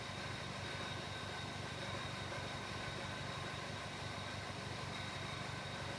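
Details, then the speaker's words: 2001 Chevy Prism Toyota 1.8L at idle after a throttle snap: very rough, lumpy idle with irregular thumps; misfire and lean condition suspected from restricted fuel injectors, O2 fluctuating. "I mean, that is a very, very rough idle right"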